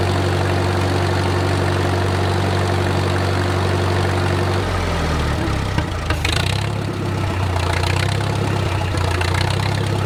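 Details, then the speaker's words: Wartime H tractor four-cylinder, first run after 20+ years sitting, at full operating temperature with idle slowed: slow, steady low thump, no knocking or misses, great oil pressure; normal idle, engine judged good. "I don't hear any knocking to you we are at full operating temperature and we still got great oil pressure"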